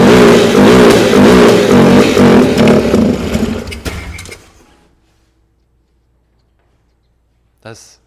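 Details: 2008 Polaris Ranger 500 UTV starting on its own after sitting; bad fuel or a bad fuel pump suspected, unconfirmed. Engine catches and runs unevenly a few seconds with a ragged, lumpy beat, then sags and dies. Rough running.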